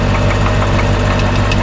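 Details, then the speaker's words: Chevrolet Corvette C4 at idle after being driven hard, hood open, no visible oil leak: heavy, rapid, regular knocking deep in the engine over a lumpy idle, not a pulley or belt; engine knock at idle, cause suspected, not confirmed. "that can't be good and it's not like a pulley or anything moving around it's definitely something in here"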